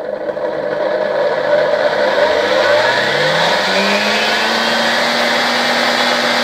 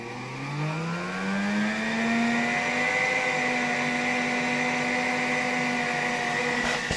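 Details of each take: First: Vacuum cleaner motor fed through a 1992 Ukrainian RS-6-220 triac voltage/power regulator: as the knob passes its arrow mark the motor starts slowly, whine rising smoothly in pitch as it speeds up, then holding steady; normal run-up. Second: 1959 WZ-factory vacuum cleaner, motor about 130 W, on a 1992 Ukrainian RS-6-220 triac voltage regulator: whine climbs as voltage rises, then briefly jumps in pitch; owner suspects a voltage spike at one knob position.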